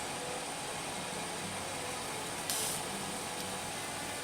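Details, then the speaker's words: Simco Dual Charge Master static-control generator: steady high-pitched hiss and thin whine of corona ionizing the air, broken by a sharp crackling burst and snap as it arcs over. "we're starting the arc over did you hear that we're ionizing the air now"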